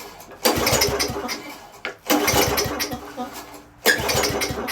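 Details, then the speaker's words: Marketplace project engine with a carburetor, recently fueled, start attempts: three short bursts that each catch about a second then die; it sputters but won't stay running. Owner suspects fuel isn't reaching the carburetor; unconfirmed. "I think I see the problem. It's not actually getting to the carburetor, so let's see if we can get it in there."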